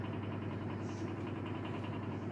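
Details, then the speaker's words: Elcon 16-inch desk fan after motor repair, oscillator still unfixed: steady motor hum with a quick regular pulsing beat and blade rattle on low speed, as the fan still wobbles from bent blades. "Still wobbles because of the bent blades."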